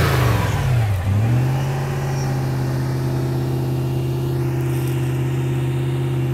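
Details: Toyota Land Cruiser 100 Series 2UZ-FE V8, earlier flooded after crank-no-start from a spliced crankshaft position sensor harness; idle lowered once warm: revs drop smoothly back to a steady, even idle with clean low rumble; healthy.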